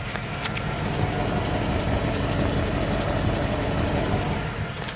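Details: Buick Roadmaster LT1 V8 idling with a random misfire on the passenger, even-numbered cylinder bank: rough, stumbling exhaust beat with surging; owner suspects interference from exposed wires at the ignition control module connector.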